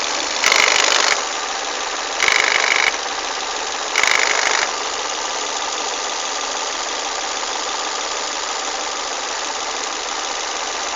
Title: Broken VVT wheel in volvo s40 strange noises